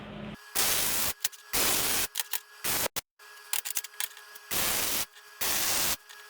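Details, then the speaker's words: MIG welding on a chassis table; harsh popping crackle in short bursts, not a smooth sizzle, lots of spatter; welder suspects wire speed too low and usually turns it up: crackly MIG weld with spatter. "Does that sound a little too crackly to you? Get a lot of spatter."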